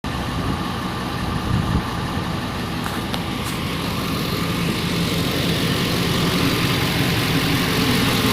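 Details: 2004 Nissan Armada V8 after engine overhaul, idling steadily with a faint, slightly uneven tapping about three or four times a second; a knock of unknown origin.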